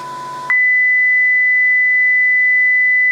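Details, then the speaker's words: Receiver module reproducing the transmitter's audio-tone modulation raised from 1000 Hz to 2000 Hz, with higher output at 2 kHz: a clean, steady high-pitched tone without wavering or distortion. Normal received tone. "is 2,000 Herz and um viewing back now we can see that the output is far more um far higher at the pitch of two kilohertz"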